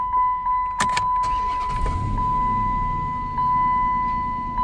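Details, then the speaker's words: Salvage car with 2.2 liter Ecotec: cabin chime pinging, then engine catches promptly and settles into a quiet, even idle with no knocks and no check engine light; starts and runs fine. "Oh, beautiful. No check engine lights, no warning lights at all."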